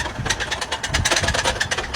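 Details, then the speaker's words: American-made car idling: harsh, uneven metallic clatter with sharp taps several times a second, sounding like metal on metal, no oil or a spun bearing; cause unknown. "That sounded like it didn't have any oil in it. Like metal on metal or a spun bearing or something. That was terrible."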